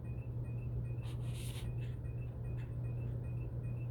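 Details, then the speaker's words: Running fan with a steady low motor hum and a short high-pitched squeak about three times a second, at the same spot each rotation; blades tightened and fan blown out without a fix. "noise on this fan I'm getting tired of it I don't know if I'm life to take the whole fan down and piece by piece and see where this damn squeak is or what"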